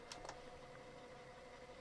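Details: Toshiba RT70S radio cassette boombox after cassette mechanism service and new belt: low, steady whir with a faint even tone and no slipping or squeal. The tape transport spins smoothly on fast forward.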